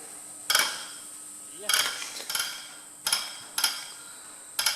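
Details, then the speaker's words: Lanz Bulldog injector on a pop tester at about 1750-1800 psi after the leaky old nozzle could not be lapped and a new nozzle was fitted: six sharp, crisp chirps in five seconds, spraying and snapping shut cleanly, as it should. "is what you want now if you go back to the other video or the earlier part of the video there was no way that was doing that"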